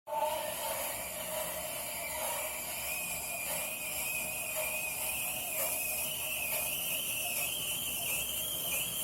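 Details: Tacx Flux trainer: thin high whine rising slowly in pitch as it spins up, with faint regular clicks beneath.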